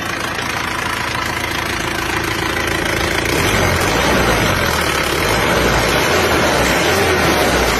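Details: Isuzu Panther diesel that burned 10 litres of oil from Jakarta to Blitar, after gasket set, rear seal and engine mount replacement and injection pump service: steady even idle clatter, then smooth rise when revved; no misses or knocks, repair successful.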